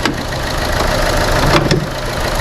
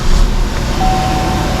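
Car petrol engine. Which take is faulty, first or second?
first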